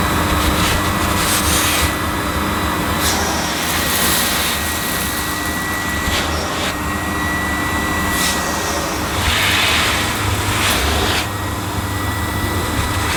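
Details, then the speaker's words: Panasonic MC-E862 bagged cylinder vacuum, bought new in box, picking up dirt on deep pile carpet: a steady, even motor whine with soft swishes as the head sweeps; a relatively quiet, good performer running normally. "it's a very good performer it's a relatively quiet and it's nice to use even on this deep pile carpet"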